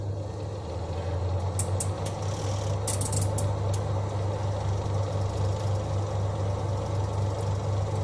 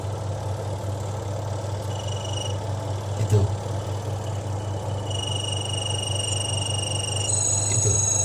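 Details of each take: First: Twin-tub washing machine spin dryer after the shaft bolts joining the spin shaft to the tub were tightened to cure its squeak: a smooth, steady low hum with a few light ticks and no squeak or rubbing; fixed. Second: Twin-tub washing machine spin dryer during rinsing; a high squeak comes and goes over the motor hum, worse with heavy loads, caused by a loose bolt on the spin shaft, possibly from daily use.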